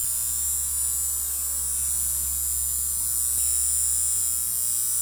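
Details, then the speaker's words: Steady, loud electrical buzz from a plugged-in Genie Legacy 850 garage door opener. Genie tech support attributed it to a bad transformer, and the fix is replacing the transformer. "if you have this problem out there very well could be that you have a bad transformer so let's go and check it out so right here it says overhead door but it's a genie machine legacy 850 but yeah you can hear that just a buzzing noise"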